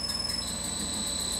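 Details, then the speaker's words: Early-1950s Westinghouse 3 hp 3-phase 220/440 V motor on a Pratt & Whitney Model C lathe, run by a Hitachi L200 VFD with carrier frequency set to 3.0: thin, steady high-pitched whine over a quiet motor hum, carrier-frequency noise. "give you an example of the sound of the motor you can hear that high-pitched horn"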